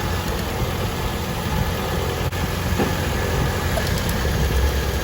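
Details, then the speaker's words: Old Toyota Corolla petrol engine now idling steadily with a low, even hum and no missing beats, after running very rough with a dead cylinder; possibly fuel needed burning off so the spark plug could fire. "the car seems to be running fine now"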